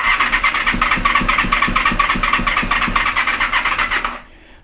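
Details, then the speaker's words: Honda VFR400R, idle settings still being adjusted: uneven, lumpy idle pulsing about twice a second with a hunting beat, cutting out after four seconds; owner plans to waterproof coil wiring and connectors over suspected resistance. "it's just finding that little sweet spot where it's it's getting uh the right settings"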